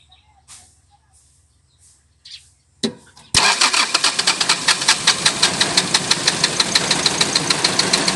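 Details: Toyota 1C diesel with hard starting and shaking: after a quiet spell it catches and settles into a harsh loud clatter pulsing about three times a second; rough noisy engine.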